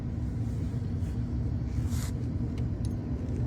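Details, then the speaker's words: 2011 Ford Explorer 3.5 V6 at idle: deep, uneven rumble stumbling irregularly, misfire flagged on cylinders 5 and 6, shaking badly; the spark plugs were found cracked/broken and were replaced. "el cliente me lo trajo porque el carro tenía un disparo temblaba el motor feo y fue que en las bujías se reventaron marcaba el cilindro 5 y 6"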